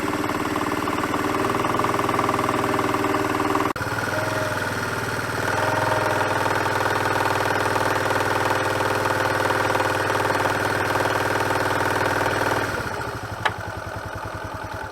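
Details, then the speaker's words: 1985 Honda CT110 postie bike, 6-volt, idling in gear with slight load: steady mechanical knock about four a second, barely audible without load. Owner suspects piston slap or worn big end bearing; not confirmed. Engine knock under load. "Not very nice, right? What could it be? Could be a number of things. But my guess, it's either piston slap or a worn big end bearing."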